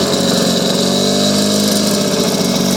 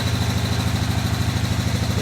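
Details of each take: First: Lawn-Boy mower with F series engine and three-speed transmission, still a little cold; light two-stroke buzz with an even, steady beat and no misses or surges, running super smooth and healthy. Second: Riding mower deck under load: a loud, rough, pulsing low throb that can be felt, from a completely failed blade spindle; the owner doubts it is just the bearings.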